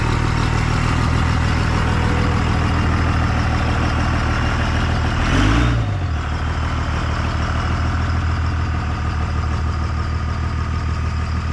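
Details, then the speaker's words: 1998 Dodge Ram 2nd-gen Cummins diesel, first run after the owner fixed his problems, on temporary power and no coolant: steady deep idle clatter with a regular pulse and one brief blip, oil pressure and charging; normal idle. "purring like a kitten got oil pressure charging"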